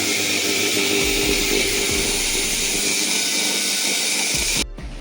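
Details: Preethi mixer at first power-on before repair: steady high-pitched motor whine that then cuts off. The old motor has a field and armature fault and is replaced with a new 750 W motor.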